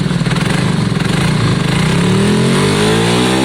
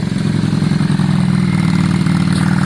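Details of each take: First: Yamaha Virago V-twin just started after exhaust swap and carb clean, blipped up and down: lumpy, uneven beat between revs; front cylinder stone cold while rear is warm, suspected not firing, a dead-cylinder misfire. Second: Yamaha Virago V-twin running after a new spark plug: even, steady twin beat with firm low exhaust note, no misses; sounds better, though carb balance may need redoing; normal running.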